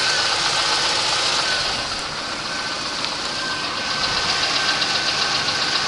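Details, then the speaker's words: 1989 Oldsmobile Cutlass Supreme engine warming up at idle, heard from below: light regular tapping about four a second that appears only when warm; owner suspects piston slap. "that kind of tapping below i want to rev the engine just a little louder and we'll go ahead and let it warm up a little more and see if it gets worse"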